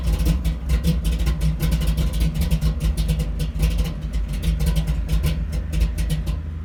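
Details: 1983 Chevy C10 square body small-block with a sizeable cam and no-choke carburetor, tune not for easy starts: cold engine sputters, stumbles and keeps nearly dying with ragged bursts while struggling to catch; hard cold start from no choke.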